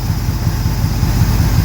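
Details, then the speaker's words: 1968 Camaro V8 revived after sitting 40 years, first start, leaking some water and not charging (alternator or wiring suspected): deep, even burble, steady loping beat, no misses or knocks; normal idle. "It's sounding actually pretty good. Leaking some water, but you and I may be able to take this around the block."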